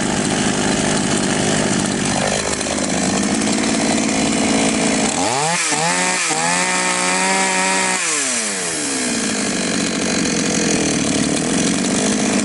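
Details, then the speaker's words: Chinese counterfeit Stihl MS660 chainsaw that started but stalled on throttle, after carburettor adjustment (screw nearest the spark plug opened about half a turn and then a bit more): idles steadily, revs cleanly to full speed and drops back smoothly; normal running. "инструмент работает в обычном режиме. Мы завершили настройку."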